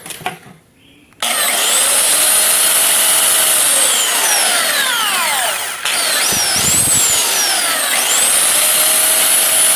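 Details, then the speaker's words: Brand-new belt sander after cleaning and re-shimming the fan/venturi so it no longer touches: spins up to a smooth, high motor whine with no scraping or rubbing, normal running. "Tem nada soprando, nada encostando mais."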